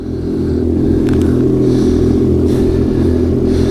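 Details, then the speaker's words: Ski-Doo two-stroke snowmobile started in deep cold weather, about 3,330 km on it: uneven, lumpy running with wavering pulses right after firing up; rough on a super cold start but it keeps running. "certainly don't sound good on a super ultra cold start, but no, they go. Just enough to crank it over and start."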